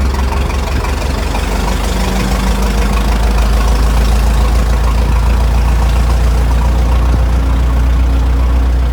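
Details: Restored 1921 American LaFrance fire engine on the move down the street: a deep, steady low rumble with an even firing beat, no knocks or rattles, the old four running sweetly; fine restoration, normal running.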